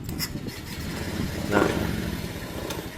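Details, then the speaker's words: Honda Beat ESP motorbike that dies: engine catches and runs unevenly with a wavering idle, then stalls; no battery charging found, after CKP sensor replaced and wiring, TPS and injector checked fine. "Pengisian aki enggak ada, Teman-teman. Nah, kita hidupkan ya. Nah, hidupkan lagi nih. Ini mati lagi nih."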